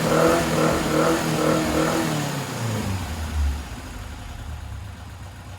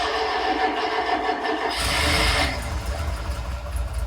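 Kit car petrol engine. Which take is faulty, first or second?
second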